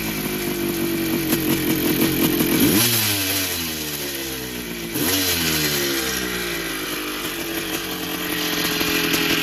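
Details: Rebuilt 1982 Yamaha YZ490 two-stroke with new bottom-end bearings and seals, cleaned top end and new air cleaner: crisp crackle with throttle blips rising and settling, even firing with no rattle, quieter than before; normal running.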